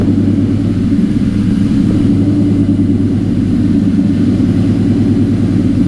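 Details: 2003 Mustang Cobra V8 just after installing a 200 A KMJ alternator to replace a failed one, first run to check the belt and charging: steady, even rumble with no squeal, slap or knock; running healthy.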